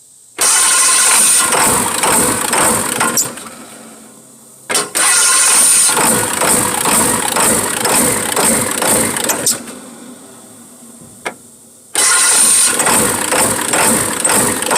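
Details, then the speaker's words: 1996 Ford F-350 7.3L Powerstroke diesel with new fuel filter and cam position sensor: runs lumpy and won't rev even with the pedal down, dies after about two minutes; owner suspects injector O-rings, oil from exhaust, no blow-by. "wait a second I think I finally got this thing to run half-ass I can't get it to do more than this even with the gas pedal depressed"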